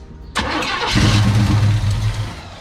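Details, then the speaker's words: Chevelle sat in a barn 15+ years, last ran it caught fire; fuel feed rigged to carburetor: starter cranks, engine fires raggedly about a second then fades without catching; owner suspects fuel pump not pumping, starving it. "I don't know if the fuel pump's pumping. Okay, so take two. I unhooked the hose that goes to the carburetor and then just cranked"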